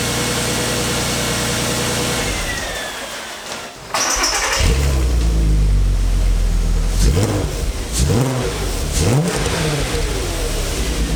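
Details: VW R32 Golf, about 293,000 km, recently serviced with new spark plugs, run briefly without radiator coolant: cranks briefly, catches cleanly, settles to even idle, then several crisp blips with no knocks or rattles; healthy start and rev.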